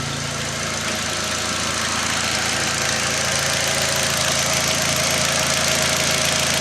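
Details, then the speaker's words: Steady, even idle with a regular pulse and no stumble, from a Mk4 Jetta 1.8T after new ECS stage-one ignition coils and spark plugs, with misfire codes cleared. Before the fix, idle dipped from around 900 rpm. "but here it is guys it's running so nice it's idling perfectly"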